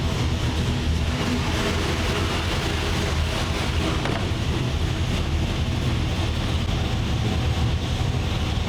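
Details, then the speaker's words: 903 cu in Hemi engine, seemingly running super rich: deep heavy rumble with strong low thumping under wind noise, firing even and steady; sounds far more responsive than before, like a 3/4 race cam, normal running. "this sounds completely different than what it did before. I'll put in a sound clip before. Yeah, this thing sounds like Way more response. I mean, it sounds like it's got a 3/4 race cam in it."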